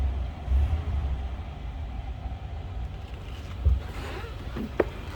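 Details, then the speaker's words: 1941 Cadillac Series 62 convertible sedan, 346 L-head V8, manual transmission, positive ground, oil and antifreeze recently changed: low, soft, even idle rumble with no knocks or misses. Runs smooth and barely audible, a normal idle. "Wow, this runs smooth. Door closes nicely. Barely hear it."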